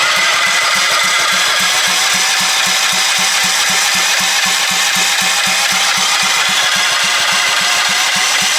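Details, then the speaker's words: Half-scale NASCAR Mini Cup race car, first start attempt after fueling, carburetor not yet cleaned: even starter chugging at about four pulses a second with no firing. There is no spark because the on/off switch of the two-switch setup was wired wrong and left off. "Check for spark. It might be turning over, but we might not have spark. Yeah, we don't have spark."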